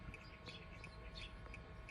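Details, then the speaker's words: 2015 Kia Soul, inside cabin after a $10 fix: crisp even turn-signal ticks about three per second over quiet hum; both left and right signals now flash at normal rate. "Let's take you back inside. Show you that the right-hand side now is clicking normally, as well as the right."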